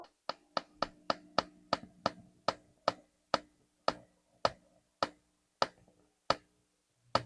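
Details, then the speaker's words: Ampeg B15N tube bass amp: sharp rhythmic clicking, about two per second at power-up, slowing as the amp warms and eventually stopping; loudest from a cold start; the failing output transformer is the cause. "So you can hear that it is kind of like a rhythmic click that slows down after the amp warms up, and eventually it completely goes away."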